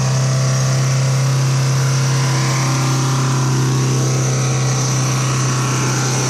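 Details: Truck diesel with a blown turbo seal pumping engine oil into the intake screams at a steady, very high speed; it kept over-revving with the key removed and was stalled by dumping the clutch in 5th.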